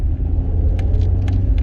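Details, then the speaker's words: Rover 45 on short test drive over speed bumps: low steady engine rumble, smooth and even with no knocks or clonks; engine sounds sweet and healthy. "Engine sounds sweet. No clonk there."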